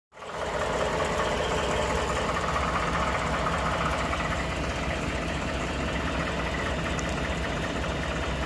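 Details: 2012 Ford F150 5.0 Coyote V8 idling with a faint irregular knock in the rumble, now present all the time. The dealer cleaned the throttle body and reprogrammed the PCM without a fix. The owner suspects an oblong cylinder; the cause is unconfirmed.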